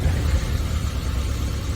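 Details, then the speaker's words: 1987 Suzuki Samurai SJ413 with 42,000 on it: engine catches almost while still cranking, then deep, smooth, steady rumble with no misses or knocks; normal quick start. "it was already like running before like think it was running and I was still cranking that's how quick it started"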